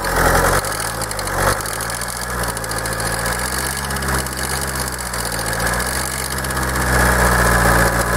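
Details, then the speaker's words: Kia 2.0 CRDi common-rail diesel with Bosch system, at idle: hard, fairly regular knock at roughly four per second that spreads across the whole engine; unplugging each injector changes nothing, source not yet found. "to stukanie przenosi się tak jakby po całym kurczę silniku i nie ma na żadnym wtryskiwaczu zmiany"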